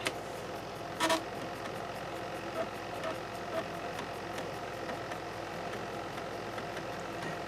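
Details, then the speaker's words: Slimline laptop floppy drive after replacing its deteriorated drive belt: low steady motor hum with faint, evenly spaced soft clicks as the head steps; drive reads the disk normally, slightly noisy drive motor. "you can hear the floppy Drive working again it is just a tad noisy with the uh Drive motor"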